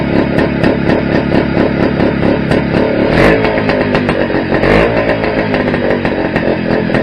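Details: Restored Greeves two-stroke motorcycle at first start-up after project rebuild: crisp even crackle rising and falling through blips, clean firing; sounds all right, though owner thinks calibration may be off and feels slightly underpowered, maybe gearing.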